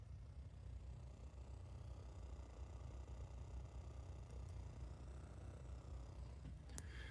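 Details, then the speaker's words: Tisono USB-to-XLR cable feeding powered monitors, via dock or computer: low fluttering hum with nothing playing, noise the unbalanced cable fails to reject. "if you can hear that sound, it's kind of like a fluttering sound."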